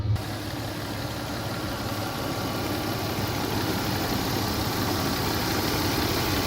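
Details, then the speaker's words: 2002 Toyota 4Runner Sport SR5 V6 4x4, about 196,000 miles, warm idle: light, even ticking on top of steady idle; normal valvetrain tick these engines have always had, nothing wrong. "You can hear she ticks a little bit. That's just a common thing with these motors. They always have ticked."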